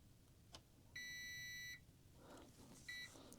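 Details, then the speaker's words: Upgraded Goldenmate LiFePO4 UPS power-on: quiet high beep lasting almost a second then a short chirp, buzzer much more muted than the earlier obnoxious version; normal startup beep. "The buzzer is much more muted now, which is great."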